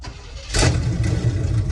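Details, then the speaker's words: 1973 GMC with Quadrajet carburetor, first start with gas sprayed in after sitting: cranks and catches after half a second, settling into an even deep idle with no odd knocks; normal start. "Oh my gosh, it fired up instantly."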